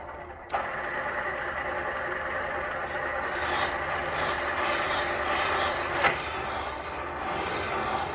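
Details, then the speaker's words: Exhaust valve seat on a '69 427 big-block Chevy head, 3-angle cut after installing a new seat: a light, steady rasp with no chatter or grabbing, much more even than before. It is an even valve seat cut, nearly finished. "can hear how much more even that is."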